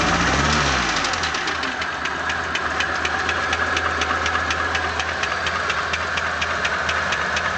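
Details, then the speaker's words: ZMZ 406 engine at idle: sharp, regular metallic tapping about twice a second over a steady idle, near cylinder 4; owner suspects a wrist pin knocking in the connecting rod of cylinder 4, not confirmed. "Похоже, как палец стучит в шатуне на 4-м цилиндре."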